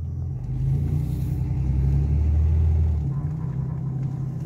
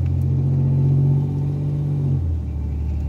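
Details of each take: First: 1987 Chevrolet Celebrity Eurosport 2.8 V6 after replacing and adjusting transmission vacuum modulator: engine drone under load with flare around shift, automatic still slipping in second gear around 55 mph. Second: 1987 Chevrolet Celebrity Eurosport 2.8 V6, driving at about 15 mph with the automatic transmission warmed up, after replacing a bad vacuum modulator: steady drone, then a clean upshift with no slip or flare, where before second gear dragged.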